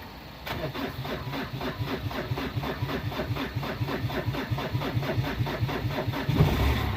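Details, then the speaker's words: 2002 Renault Clio diesel, sat three years, jump-started from another vehicle, due a service: catches after short crank, steady slightly lumpy clattery idle with regular knocking pulses, running five minutes; normal cold start. "it's been running about 5 minutes now doesn't sound like there's anything wrong it sounds like it's usual clattery cell"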